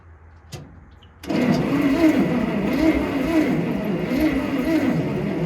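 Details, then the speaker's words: Bantam truck crane engine, sat in a quarry for years, cranking with ether: rough, ragged turnover with uneven firing that picks up but never catches and runs. "It sounds like it's firing a lot better, but it's definitely not taking off. We'll close the choke too."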